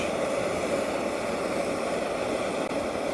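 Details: EZ-Wok high-heat X7 outdoor wok burner on 0-30 psi regulator, main valve fully open after backing regulator pressure down to ¾–1 inch blue flames; even steady roar with no flutter, popping or surging, a normal recommended starting setting.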